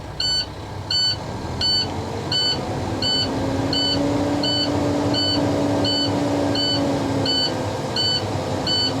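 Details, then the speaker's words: Truck air-brake test, in-cab: diesel idling after start with parking brakes set, steady electronic beeps about 85 a minute as the low air pressure warning light and buzzer sound until air builds above 60 psi, then toward 120 psi. "I'm going to let the air pressure build above 60 psi so the warning light and buzzer will cut off."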